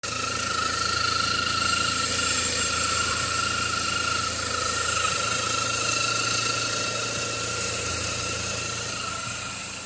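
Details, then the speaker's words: Steady high-pitched whine and squeal at idle from the right-side accessory belt area, where the belt drives the power steering pump and A/C compressor; belt visibly dried out; accessory belt pulley bearing noise. "cliente trouxe o carro pra gente verificar Exatamente esse barulho que tava vindo do lado direito e aí a fica exatamente aqui no lado onde fica a correia de acessório né"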